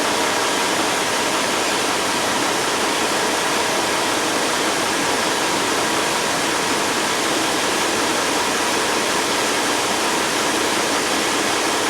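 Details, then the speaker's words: Peterbilt truck HVAC with a burned control module, tested with a new 15 A fuse and all sleeper HVAC controls on: strong, steady rush of air with no rattles, squeals or pulsing; the blower runs at full speed and sounds healthy. "so as you can hear got a fan going there"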